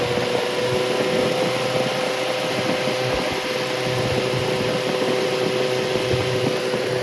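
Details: Rebuilt Triumph Spitfire 1500 engine (FM125586UE), crank turned, many new parts, compression 190–210 psi, oil pressure 80 psi cold, ≥47 psi hot. It idles and revs on a loud open-pipe hum with no muffler, over a faint ticking fuel pump. Healthy normal idle and revving.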